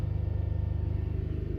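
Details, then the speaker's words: 2008 Skoda Fabia 1.2 three-cylinder petrol, revving: lumpy, uneven pulsing exhaust beat instead of smooth drone; misfire counters climb fast on cylinder 2 when revved. "so if I check the fuel trims and everything now it's not gonna be right because obviously we're definitely getting a misfire and we're not gonna be burning the fuel correctly"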